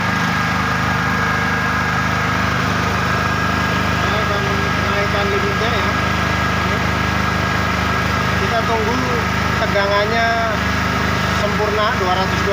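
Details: Small genset running unloaded during a mains (PLN) power cut, waiting for voltage to reach 220 V; even, steady hum at constant speed, no misses or knocks. Normal idle.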